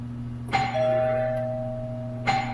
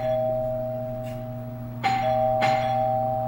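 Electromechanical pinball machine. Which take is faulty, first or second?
second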